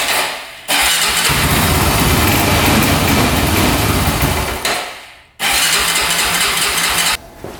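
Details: 2004 Honda 400EX single-cylinder quad after carb clean and valves adjusted to spec, compression up: revs raggedly, sags and cuts out twice instead of pulling clean; still bogging, leak-down test next, cause unconfirmed.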